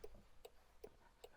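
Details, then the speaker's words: Land Rover Defender L663 after LED to Premium LED headlamp upgrade, indicator check: crisp, even ticks about every 0.4 seconds, flashing fine outside and in the cabin; turn signal working normally. "they're flashing fine, and in the cabin it is also flashing fine, and we have"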